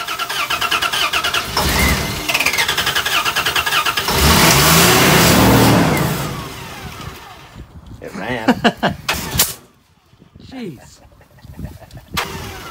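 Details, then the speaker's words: Old Dodge Dakota, no fuel pressure even with key on, starting fluid unavailable: starter churns steadily about three turns a second but engine never fires; crank no start due to dead fuel pump. "pump's dead well it looks like a ratchet straps holding the tank in"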